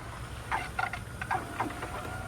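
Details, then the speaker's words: BMW 335i running its coolant auto-bleed in accessory mode, heater at maximum, fan lowest, after holding the gas 10 s: quiet electric pump whir with scattered gurgles as air is pushed out; air in cooling system. "So, what it's doing right now is it's getting rid of all the air bubbles in the system. You can hear it gurgling itself."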